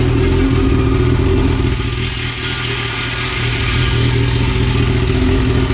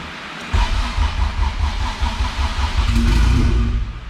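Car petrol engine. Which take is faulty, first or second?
second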